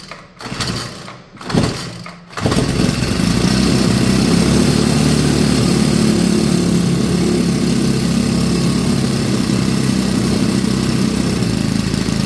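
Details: Craftsman 30cc 4-cycle weed eater after a carburetor replacement and fuel system fix, started with no throttle to avoid flooding. A few pulls, then it catches into a strong, steady, even idle with no stumbling or surging. Normal start and idle.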